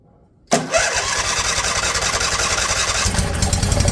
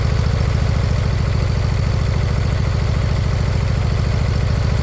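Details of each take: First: Briggs & Stratton Intek V-twin swapped into mower in place of a blown Kohler Courage, fuel now hooked up, start helped along: cranks briefly, catches and runs steady and even, no misses. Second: Briggs & Stratton Intek V-twin, fitted in place of a blown-up Kohler Courage, idling with loud, even low thumping and a faint rise and fall in speed; slight surge from stale fuel, expected to clear with use and fresh gas.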